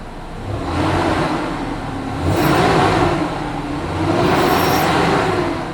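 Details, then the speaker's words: Truck with aluminum block, noise began after radiator, serpentine belt and gasket replacement: two hard revs bring a faint thin high chirp that fades at idle; still present after replacing idler pulley, belt slipping suspected, cause still unknown. "still makes that noise okay so it still makes noise so that was not the fully idling pulley number two"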